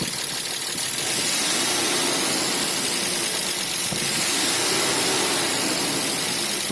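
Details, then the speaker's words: 1995 BMW E34 520i, M50 2.0 petrol, also runs on gas; starts instantly, idles stable: fast light ticking near the VANOS since the chain, tensioners and guides were replaced and the front cover resealed, ignition timing since reset; cause unconfirmed. "а так заводится с полоборота работать нормально тяга нормально только вот этот стук всегда слышу"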